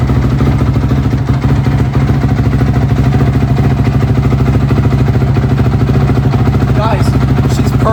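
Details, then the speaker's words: Honda CRF250R single-cylinder four-stroke, bought non-running, with a new head and aftermarket cam per the seller. After the timing was corrected, it holds a steady, healthy thumping idle with no ticking or misses. No air filter is fitted yet. "Nice. It sounds good. Oh yeah, she sounds pretty good. She actually sounds healthy, which is awesome."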